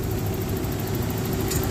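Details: 1994 Toyota pickup V6 that sat almost 5 years as a no-start, now running after the internally burnt distributor was found to be the fault: low, even idle rumble with no misses, knocks or hunting.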